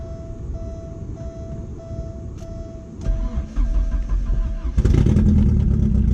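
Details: Porsche 944 cold start after battery retightened and about three weeks sitting: warning chime, starter cranks about two seconds, fires into strong even cold idle; normal.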